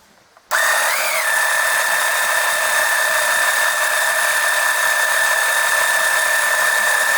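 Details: Oil transfer pump extracting oil during an oil change on an OMC 140 boat engine, near four quarts drawn: kicks on and settles into a steady even high whir, no surging or catching; runs normally.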